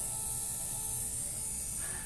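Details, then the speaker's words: Yamaha FZ-07 DIY turbo project, with a diesel fuel pump fitted as the turbo oil return pump and the bike jumped from a Honda Fit because its battery was low: quiet, steady high whine with light ticking, pump running normally. "got the bike hooked up to my honda fit just to see if i can uh get it started i definitely hear the pump going just pulling something right"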